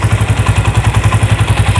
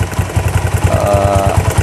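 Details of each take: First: Honda Tiger 2000 after cam chain repair (previously noisy cylinder block from cam chain): even steady thumping at quick idle with no rattle or tapping; engine sounds healthy. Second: 2000 Honda Tiger single-cylinder at idle: thumping about seven times a second with light metallic ticking louder than normal valve clatter from the cylinder block; suspected cam chain or tensioner, unconfirmed.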